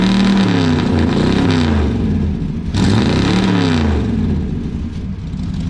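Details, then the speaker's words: 1968 Chrysler Newport V8 with a newly finished homemade exhaust. A deep burble climbs and falls cleanly through two throttle blips with no misses or rattles: a healthy engine with a loud exhaust. "I'm going to rock it out a little bit let y'all listen to it"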